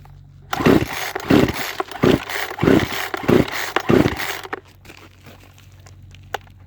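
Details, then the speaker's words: Poulan Pro chainsaw after carburetor retuning, high lowered, low raised, with choke: six quick pull bursts about a second and a half apart, each catching briefly then dying; won't keep running, owner suspects debris-clogged fuel filter or flooded, mistuned carburetor. "okay so for the record I think she might need to rest for a little bit cuz sounds like the carburetor is not right where I want it to be"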